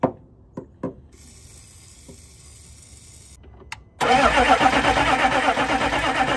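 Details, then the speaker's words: 2000 Chevrolet C3500 4x4 turbo 6.5 L diesel, sat for years, with WD-40 in intake: even churning cranking, never fires; no fuel from the fuel pump, crank no start. "We don't seem to be getting any fuel from the fuel pump."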